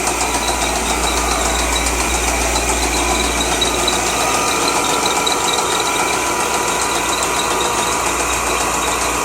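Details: 2003 Corvette Z06 LS6 V8 idling: uneven, sharp metallic tapping knock from inside the motor over the running engine; engine knock.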